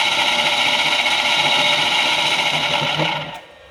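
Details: US Motor explosion-proof brakemotor for a Quincy compressor, bench-run unloaded, around 30 Hz; steady high hum with fast light rhythmic rub that fades on spin-down; suspected brake hub or fan scraping the motor housing, not bearings.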